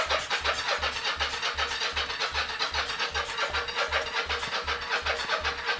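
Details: 1983 Yamaha XZ550RK Vision, unrun for about 20 years, with starting fluid sprayed into the intake and choke tried: steady starter cranking at about 2.5 strokes a second that never catches. Cranks but no start yet.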